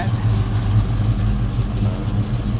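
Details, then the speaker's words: 1969 Chevelle V8 with big cam and a newly installed FST Billet X-treme carb, warming up at about 900 rpm idle: lumpy, loping, slightly lazy burble; a little rich, to be leaned about half a turn on the primary mixture screws. "it looks like we could just lean this motor out just a little bit it's just a little bit rich"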